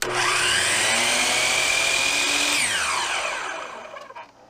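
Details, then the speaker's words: Hercules dial compound miter saw, belt driven, after 2 months of use: loud motor whine drops away as the blade coasts down, with a thin squeak near the end of spin-down; owner suspects a bearing up by the belt drive. "So since this is a belt driven, I'm thinking it's up in here, and it's probably a bearing up in here."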